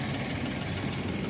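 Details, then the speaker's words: Daihatsu Naked Turbo 4WD kei car with automatic transmission, warm after running, heard from underneath: steady, even idle with no knocks or ticks; no engine or transmission leaks, running healthy. "It's been running, so you can hear it run. Transmission's not leaking. Engine's not leaking."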